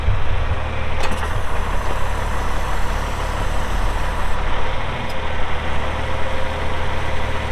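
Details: 1984 John Deere 4050 tractor with a JD 466 diesel, 3,342 hours, fires and settles into a steady, even low rumble at idle with no knocks or misses. Normal idle.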